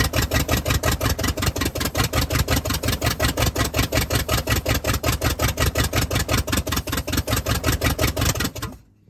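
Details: "Party Barge" truck's V8 running on its own fuel after the fuel system was hooked up, 60 lb oil pressure: strong lumpy big-cam-like beat, even and steady, no knocks or ticks; normal running.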